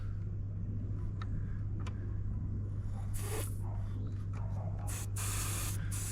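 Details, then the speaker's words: Range Rover L405 front nearside air suspension strut during wheel bearing removal: a low steady hum with sharp bursts of hissing air as the strut valve is cracked open with a 12 mm spanner to bleed off the pressure deliberately. "so you hear the air come out already mhm so that's cly taking the pressure off it"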